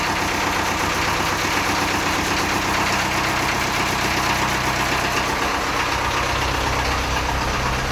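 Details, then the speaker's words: Land Rover 2.25 diesel idling after a cold start following a month of sitting, idle raised on the hand throttle. An even, steady clatter with next to no smoke. Normal diesel idle. "it's not even smoking look it's beautiful yeah and stuff's still everywhere so beautiful beautiful lovely yeah i'm more than happy with that how that started there next to no smoke at the back"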